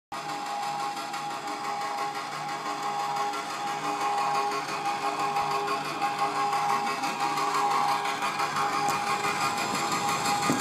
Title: Frozen Server strange noise